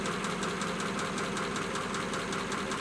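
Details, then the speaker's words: 1941 pickup idling just after restart from a wet-weather no-start, dried with compressed air and a heat gun on the distributor, battery charged: steady idle with a light, even valve tick about two or three times a second, running clean, no misfire. "okay that's good it's running can you see all the stains coming off"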